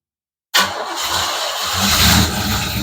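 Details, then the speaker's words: 1987 Oldsmobile Cutlass Supreme 442 cold start with choke dialed in: silence, then the engine catches instantly with no long cranking and settles into an even, slightly high fast idle; healthy cold start. "I have the choke dialed in pretty well should start as soon as we fire it up"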